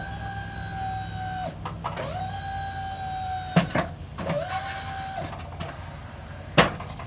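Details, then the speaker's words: Boss V-blade snow plow just hooked to truck, raising blade: steady mid-pitched hydraulic pump whine in even one-second bursts over truck idle, clunks between; normal plow lift. "So at this point, you're basically ready to operate the plow. Go ahead and raise it."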